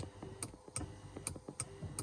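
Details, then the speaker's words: 1994 Mercedes C280 driver's power headrest, up pressed, microphone close: faint motor with sharp regular clicks about every half second while the headrest won't rise and slides back down; a broken plastic track and gear. "All right, so you heard the motor. So I'm going to try to investigate why it's not working, and we'll kind of go through the discovery and the repair together."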